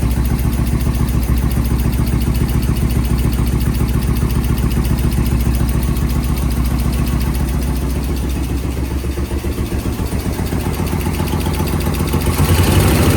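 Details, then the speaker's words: Suzuki VS1400 Intruder V-twin on a cold start after carb work, pilot jets cleared, choke on, fresh battery: loud, lumpy idle with missing pulses; front cylinder warming, rear cylinder ice cold, running on one cylinder. "Front one's starting to feel a little warm. The back one feels ice cold."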